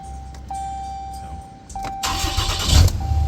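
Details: 2014 Ram 3500 with remote start, after plugging in the ignition connector for stalling/no-start on bumps: key chime, brief crank, engine catches and settles into steady low run; starts normally.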